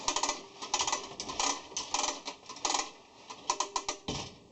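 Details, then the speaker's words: Harbor Freight air hose reel being tested after mounting: bursts of light, uneven ratcheting clicks as the hose is pulled; pawl catches cleanly at the click so the reel holds; normal latch. "If you go past the click, it's just gonna roll back. So you gotta listen to the click for it to stop."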